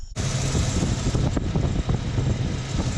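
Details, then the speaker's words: Suburban V8 first start after BBK headers installed, broken exhaust manifold bolts welded, plugs and wires refitted: catches right away, smooth even rumble, no ticking or exhaust puffing; sounds much better, sealed and healthy. "far, so good. Definitely sounds a lot better under here. I'd say it was a success."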